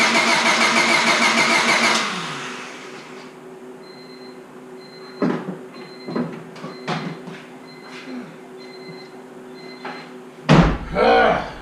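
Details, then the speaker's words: Honda Civic Si after rebuild, new distributor cap and rotor fitted: starter cranks steadily for two seconds, engine never catches, no spark; owner unsure but saw arcing spot on distributor's ignition coil. Crank no start, suspected faulty ignition coil. "Still no spark, I'm assuming. Well guys, I'm really not 100% sure if this is it or not, but I did notice a spot on the coil here that looks like it's been sparking."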